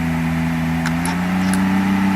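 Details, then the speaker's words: 1994 Mercedes 600SL V12 running with the repaired throttle actuators connected but without a proper air supply. A fast, steady idle creeping slightly higher; idle is high from the missing air supply, but no ASR light and the throttles are seen as fine. "now computer does not see throttle being bad but of course there is no proper air supply so therefore Idol is high but you see no ASR light"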